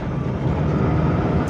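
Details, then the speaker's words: Daihatsu Gran Max, 111,000 km, driving: deep gravelly "grrr" rumble under acceleration, quieter when slowing and better at steady speed, with wind noise; drivetrain growl, mechanic suspects a mounting touching something, to be inspected. "saat berakselerasi akan terdengar suara "grrr", tetapi saat melambat suaranya tidak terlalu keras."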